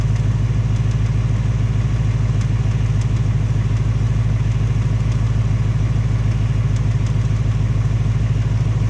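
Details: 2018 Ford Mustang GT on its second engine at only 1200 miles, V8 idling with a deep even rumble and a faint tapping over it, same as the first engine or worse; piston slap or Coyote tick suspected; Ford fitting a third short block.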